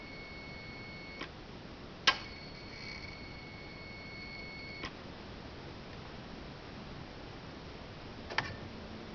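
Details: 2013 Hyundai Genesis Coupe 3.8 GDI, ignition on, engine not running: high whine ending in a click at each light gas pedal press from the throttle body; owner thinks it abnormal and plans to replace the throttle body and motor.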